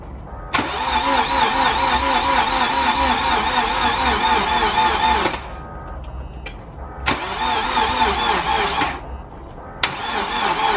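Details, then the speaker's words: BMW N47 diesel reinstalled after timing chain replacement, oil topped up, ignition cycled to prime fuel. Three long cranking bursts with a fast, steady churn of about two per second, then it briefly catches: first start attempt. "we'll do that first and we'll try to crank it and then start it"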